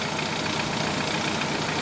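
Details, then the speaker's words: 2013 Dodge Forza after cylinder misfire repair: steady, even idle with no skips or stumbles; engine smooth and healthy, fixed as it should be. "ahora sí quedó perfecto como debe ser"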